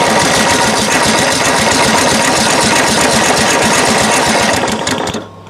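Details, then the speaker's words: Craftsman LT1000 riding mower with a crank-no-start fault, choked and with carb cleaner sprayed in: fast, fairly even popping about four per second for five seconds, then it dies. Power to the carburetor fuel solenoid is to be checked; cause unconfirmed. "it really sounds like it wants to run i don't know if you heard that but it did fire very briefly but it fired"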